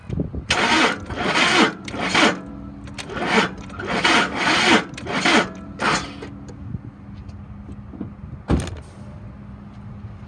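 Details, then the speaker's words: 2008 Ford Expedition XLT, 151,000 miles: starter drags in slow labored surges about once a second, engine turns over very heavily and won't start; earlier ran with knocking and ticking, owner suspects bad motor. "all i can get out of it turns over very heavy it's not starting it may have a bad motor"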